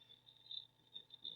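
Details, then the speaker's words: Old IBM/Lenovo-era Windows XP PC booting after years off: quick sharp high ticks in uneven bursts as the old hard drive seeks, a worn clicky rattle. "you can hear the hard drive rattling it's trying to boot and there's xp this one might be a fun one to do"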